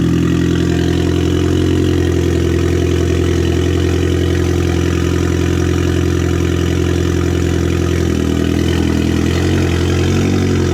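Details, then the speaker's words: Audi A4 2.0T FSI, freshly rebuilt with JHM K04-R turbo kit, first startup, cold: steady even idle, smooth low drone, slight settle near end, injectors quiet, no squeals, ticks or knocks. Normal idle. "did I hear the injector sounds pretty quiet no squeals no nothing"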